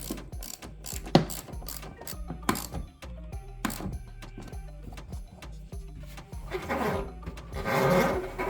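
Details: Electrolux PerfectCare 800 EW8H458BP dryer after 6 years: irregular clattering and ratchet-like clicks as the drum turns from worn drum support rollers; one side's two rollers replaced, other side still noisy.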